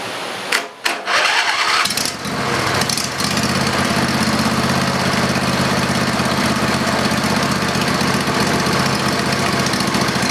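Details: Briggs & Stratton 20HP V-twin Model 40 after carburetor cleaning: cranks briefly, catches after about two seconds, then settles into a steady even run; running normally.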